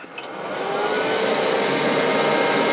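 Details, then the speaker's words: Old PC at power-on: CPU heatsink fan spins up over a second into a loud steady vacuum-cleaner-like whoosh with a faint tone; excessively noisy CPU cooler fan. "a bit like a vacuum cleaner when it turns on this is officially the loudest PC I own"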